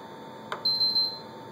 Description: This is the noise my PS3 has been doing lately. Sometimes it will start and work just fine but some other times it will not load or even warn me the system files may be corrupt.